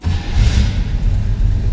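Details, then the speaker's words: 1936 Ford Deluxe Tudor street rod, 350 V8 with TH350 automatic, cold start: fires instantly on the key and settles straight into a deep, even V8 rumble with no stumbling; oil pressure and battery gauges come up, a healthy cold start. "Boom, fires right up. Oil pressure, looking good. Battery meter came up. That was a cold start also."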